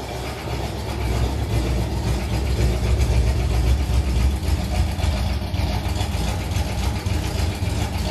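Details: 1980 Oldsmobile Cutlass V8 started after sitting almost two years: rough idle with a low, uneven knock a few times a second under the exhaust rumble, deep in the bottom end; suspected rod knock.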